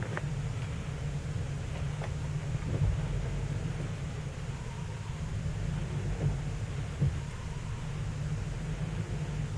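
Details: 2005 Ford Explorer with code P0190 and 14 codes stored, before TPS replacement: low lumpy idle barely at 600 rpm with irregular thumps and stumbles every second or so; rough idle, cause unconfirmed.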